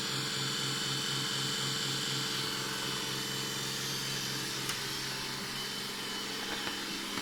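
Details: Brand-new Roborock S6 Pure robot vacuum, two weeks old, loud since first setup: harsh whir and a rapidly pulsing low droning hum.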